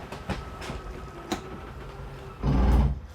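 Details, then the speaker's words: 2022 Salem 22RBS travel trailer slide-out motor reaching full travel: faint ticking then a short, loud, harsh gear-grinding sound as the motor hits its furthest extension; normal and not a fault. "I'm just gonna run this in just a tad, just so you know what it sounds like when it fully extends, because it sounds a little scary, but just know it's completely normal."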